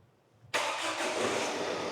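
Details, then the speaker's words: 2012 Ford Transit Connect after a fresh belt and coolant top-up: quick crank catches at once into a steady, even idle like a sewing machine, with no belt squeal as before; normal start. "as you've just heard it started up like a little single sewing machine and it sounds so much quieter because haven't got that belt squeal like it did have before"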